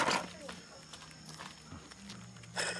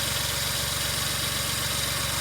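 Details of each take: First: Removed water pump from a 2003 Suzuki Jimny JB23W (K6A engine), spun by hand: gritty, rasping bursts with each turn from a bad bearing; a replacement pump has been bought. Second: 2003 Suzuki Jimny JB23W, K6A engine, after water pump replacement and refilling the radiator: smooth, even idle with a steady low hum, no knocks, whines or belt squeal; normal idle.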